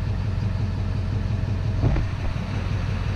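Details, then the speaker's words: Duramax diesel after repair, valves checked for bending: steady, even idle with a smooth low rumble and no knocking or ticking; sounds much better than before. "all sounds like grab her up a little bit maybe and she seems to sound good sounds a lot better than what she did"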